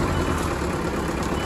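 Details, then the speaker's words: Abandoned Thomas Built school bus 8.2L diesel just started: low, steady idle rumble smoothing out with a backup beeper chirping over it; started immediately and runs evenly. "oh the idle's smoothing out it's not too bad she puttered oh yeah getting that good diesel smell oh there she's butter it started immediately that's crazy"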